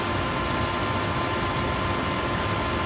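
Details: Hayward spa/pool heater after repairing its defective bypass: steady, even rushing burn with no banging or clanging. It now sounds like it is running normally.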